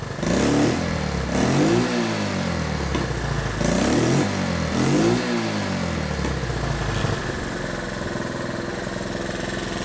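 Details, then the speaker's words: Honda 110 three-wheeler warmed up after points/timing adjustment and carb rebuild: three clean throttle blips rise and fall smoothly then settle to an even idle without misses or backfire; much improved, slight remaining hesitation possibly from the carb. "Still a little hesitation there, but that could be a carb"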